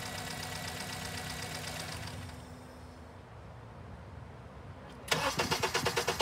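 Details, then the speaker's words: Honda with intake cam signal absent, now cranked with exhaust cam sensor disconnected while scoped: starter grinds in steady pulses about three a second, pauses, cranks again without catching; extended cranking, no start from missing cam signal. "as a final deal i'm going to see what it does with the exhaust cam sensor disconnected and we'll take a look at that only that and then okay exhaust cam sensor disconnected let me start the scope we'll crank it more time"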